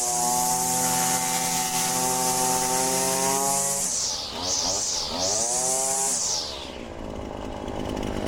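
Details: Husqvarna 525L two-stroke trimmer after repair, air filter refitted: buzzy steady high rev, drops and picks back up smoothly; runs clean, normal running.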